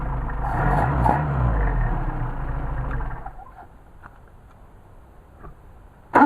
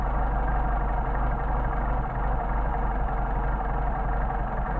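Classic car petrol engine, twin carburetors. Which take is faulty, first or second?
second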